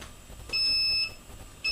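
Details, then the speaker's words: TAL-Q quadcopter transmitter powered on with a switch left in the down position gives a shrill, repeating electronic beep: the switch error warning. Fix is to set all switches up. "then there's a continuous beep which it tells you there's an error"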